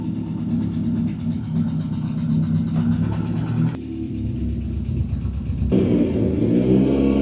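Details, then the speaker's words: Ford Sierra Cosworth RS under restoration, first drive after reassembly: low dull drone that barely climbs in pitch under throttle; engine runs oddly and struggles to gain revs, no warning lights, cause not identified. "Ça tourne bizarrement quand même. Hein. C'est quoi que tu trouves bizarre? Elle a du mal à prendre ses tours."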